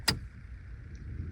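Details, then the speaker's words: 2006 Ford F-250 after blower motor and resistor replacement (the failed blower motor had stopped the heat): click, then quiet steady whoosh and even fan hum with no squeal or rubbing; normal blower operation. "okay so pretty satisfying to hear that heat like I was saying it could be really sketchy to drive without heat or uh blower at all"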